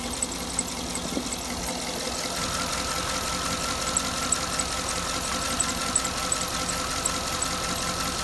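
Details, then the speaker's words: 2009 Cadillac Escalade, wire just replaced, warming up: light rapid ticking, about three a second, over a steady idle that doesn't fade; ticks every time it warms up, cause not confirmed. "you can still hear the tick like I said dried like how it isoot still ticking every time it warms up it ticks every"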